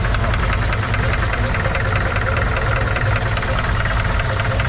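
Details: 1981 Chevrolet Opala Comodoro 4-cylinder engine: loud, diesel-like idle with a steady deep knock at engine speed, noise not resolved; points to bottom-end wear.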